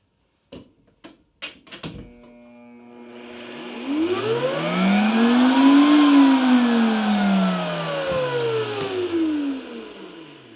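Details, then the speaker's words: Replacement Mastercraft router mounted in a bench-top router table lift, replacing a Bosch that squealed then quit; switch clicks, then the motor pitch climbs smoothly over about two seconds to full speed and eases off. Normal soft start. "Okay, I forgot about the soft start on this. Another feature that I will eventually break."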